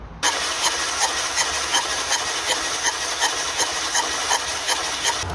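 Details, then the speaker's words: Renault Scenic on a compression test while cranking: even cranking with a strong, sharp puffing hiss on each stroke, about 160 a minute; the cylinder reads only 50 psi, with compression blowing past a failed head gasket. "A compressão é extremamente baixa. E uma coisa que vocês devem ter se atentado é que o barulho de assopro dele é bastante forte, né?"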